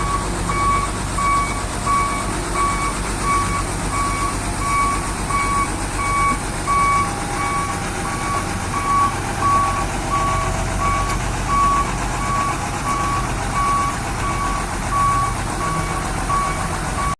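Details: Hino Vector tronton dump truck reversing in a tight space: clear on-off beeping near one kilohertz repeats evenly over the engine rumble; the back-up alarm is working normally.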